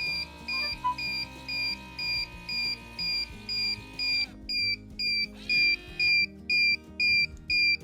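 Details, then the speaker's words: Guardian standalone water leak sensor extension in a basement, set on a small puddle; shrill, even beeps about twice a second, steady throughout, as the sensor detects water and alarms. "Alright, so as you can hear, it is going crazy because the sensor itself picked it up."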